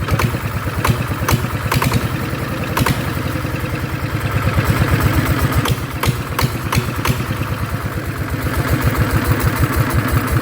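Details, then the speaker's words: Yanmar single-cylinder diesel on a duck-type loader, rebuilt with 100 mm piston and No.2 cam (about one tooth off), starts hard first time then easy; quick, regular, even thumping with no extra knocking, running cleanly. "[ปรบมือ]อ่ะโอเคนะครับก็เสียงก็ประมาณนี้เนาะก็จะติดยากทีแรกครั้งนึงนะครับที่2ก็จะติดง่ายแล้วนะครับ"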